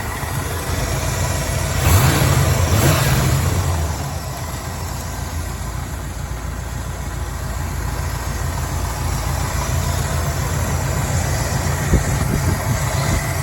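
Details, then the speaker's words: Chevy V8 swapped into a Range Rover Classic, IMCO 300A mixer and vaporizer, HEI ignition, warm with no choke, idling and blipped under the bonnet: low even burble swelling smoothly and settling back, quiet and healthy; owner suspects water pump pulley misalignment causes slight vibration. "Pretty quiet actually under the bonnet and under the hood."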